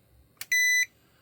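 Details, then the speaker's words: Mustek PowerMust 530 Plus UPS, case open, beeper muffled, after upgrade adding a switch, new wiring and a cooler: short steady high beep about a third of a second; working normally. "The cooler started working. We turn it off."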